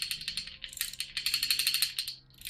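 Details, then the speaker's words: Opel CIH engine long block on the bench during valve adjustment, with cylinder 1 on the cam base circle: the rocker is wiggled by hand, giving light metallic clatter that goes quiet at zero lash. Rocker lash being set. "And you can see right here, you just hear it. Just wiggle, wiggle, wiggle, wiggle, wiggle."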